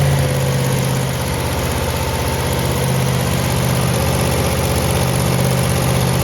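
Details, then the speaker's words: 1970 Chevelle SS 454 big-block with solid lifters during engine break-in: steady low V8 lope at about 650 rpm with light even valvetrain ticking, no knocks or misses; healthy idle. "I mean it idles down to 650 RPM and uh we're very very very happy with how this motor is running"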